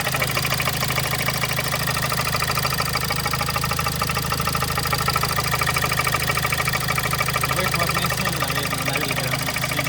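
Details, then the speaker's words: Kia Sportage 1.7 CRDi D4FD diesel, 15,000 km, under warranty, barely noticeable cold: steady regular knock at idle, much louder with oil filler cap open and puffing blow-by; dealer suggests injectors, unconfirmed. Diesel engine knock with blow-by. "А сейчас откроем крышку горловины. Итак, мы видим звук и даже часть выхлопа"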